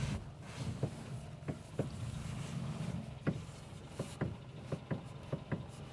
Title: стук в рулевой рейке 1